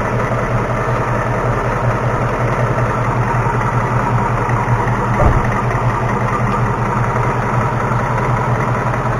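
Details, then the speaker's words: 2018 Mustang GT V8 with a newly fitted NBRP cat-back exhaust, idling; loud busy idle with a fast, loosely regular tick over the rumble, cause not yet known. "all right guys we're underneath my 2018 Mustang GT it's picking really bad right now and Jeremy here has got got a stethoscope and we want to see what's going on underneath this fad"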